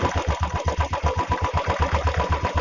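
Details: Royal Enfield Classic single at idle, after a fix for a clutch-side noise (a loose 13 mm nut had been striking and was tightened). An even, steady thump of about seven beats a second with no rubbing or knocking: a healthy idle.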